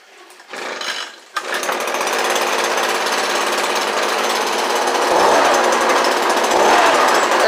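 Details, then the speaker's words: Echo ES-210 Shred 'n Vac after a new carburettor, fuel lines and grommet: started on cold-start choke, it sputters then settles into a steady high two-stroke buzz with a slight waver; runs, but the carb needs slight adjustment. "all right so that's a success i'm gonna have to uh obviously adjust it just a little bit"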